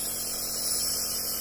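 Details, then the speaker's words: Omron NE-C28 compressor nebulizer during inhalation: a steady, even airy hiss like vapor or wind power over a faint low hum, with no rattle or surging. Normal running. "Jadi ini adalah suara yang dihasilkan dari kompresor nebulizer Omron ya. Suaranya lebih keras seperti uap ya, tenaga angin."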